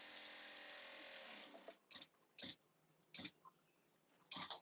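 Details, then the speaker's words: Newly installed pop-up camper water pump with short new line: steady hum that stops cleanly at pressure, followed by short water spurts. "But cool, it's kicking off there."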